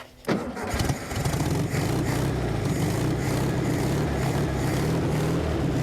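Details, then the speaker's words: Abandoned 1974 VW Thing air-cooled engine, first start since about 1989, with fuel added to the carburetor bowl: cranks, catches and settles into a steady, even idle with no knocks or misses. "that's hilarious there's nothing left of this car but it runs awesome it's just too exciting when something that's been sitting that long comes back to life"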